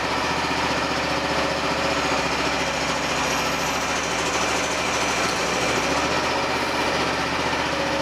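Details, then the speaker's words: Repurposed hydraulic pump run as a motor for a DIY mini-excavator mower: fast, even buzzing drone at steady speed without knocks or surging. Runs fine with no leaks; earlier vibration was traced to a broken pulley. "Looks like we got a winner. Gee, I don't see anything leaking either."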